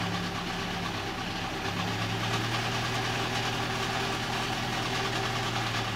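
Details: Toyota Avanza engine: steady idle with light, uneven metallic rattle, two or three taps a second; mechanic suspects an eccentric component, not bearing metal, cause not confirmed.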